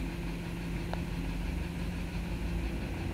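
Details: Vehicle that came in with check engine and traction lights from a misfire, idling while codes are cleared: low, steady idle hum with an even beat, no miss or stumble; running smoothly.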